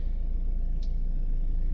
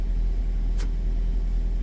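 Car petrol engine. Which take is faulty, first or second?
first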